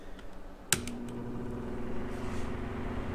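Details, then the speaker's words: Cheap shop fan after re-oiling dry motor bushings (before: almost seized, rattled then stopped): click at switch-on, then steady quiet low hum at different speeds, no rattle or scraping; normal fan running. "Quiet. No problem at all. Try a different speed. Yeah, beautiful. So that works great."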